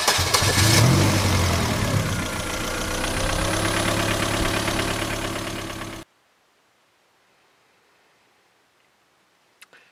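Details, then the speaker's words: Двигатель завёлся и стучит на холостом ходу, ровный стук около четырёх раз в секунду до глушения; причина стука неизвестна, машина встала на ремонт. "друзья произошло следующее Застучал двигатель Я честно не знаю"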